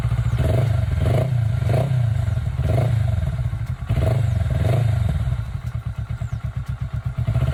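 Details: Kawasaki Ninja 400R 400cc (registered 2013, 7 years old), started fine after about 3 months unused despite feared flat battery; steady low thumping idle, even firing pulses, no knocks or rattles: normal idle.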